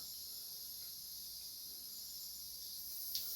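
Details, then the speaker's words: Bleeding a home radiator for a few seconds after flush, inhibitor dosing and leak check: steady high airy hiss holds for several seconds as trapped air vents from the bleed valve; all air then out of the system. "time to bleed the radiator let's get a little cloth I'm just going to bleed it for a few seconds so I can hear the air coming through there"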